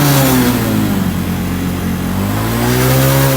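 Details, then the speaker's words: Honda Revo injection before repair, after stalling five minutes into a ride. Pump pressure rose slowly from 0 to 40; revved to the limiter, pressure sinks steadily to zero. The revs sag and waver from fuel starvation. "Ketika kita tergas, nah seperti ini makin down, makin down hingga ke angka nol anjlok."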